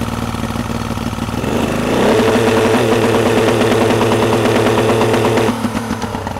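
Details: 2003 Yamaha 90 hp two-stroke outboard with good spark, compression and clean carbs: rough, uneven idle that picks up then stumbles, won't rev past about 2,000 rpm, running on two cylinders as a leaking fuel pump diaphragm floods cylinder 3.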